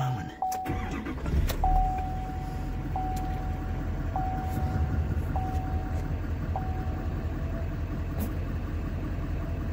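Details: 2015 Chevy Silverado 3500 6.6L Duramax diesel after replacing a failed oil pressure sensor that had read extremely high: starter churns briefly, engine catches and settles into an even, steady idle with no knocks; gauge no longer jumps high, normal start.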